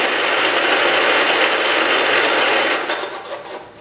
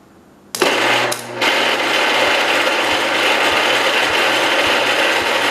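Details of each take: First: 1969 John Deere 112 Patio tractor cranked over on what is believed to be its original spark plug: an even, brisk whirring crank at roughly three beats a second that doesn't catch. Normal cranking, and the starter is judged good. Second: 1969 John Deere 112 Patio tractor, cranked with raised voltage: steady fast starter whirr with even, light puffs and no heavy compression pulses; sounds like little or no compression though air exits exhaust, intake likely closing.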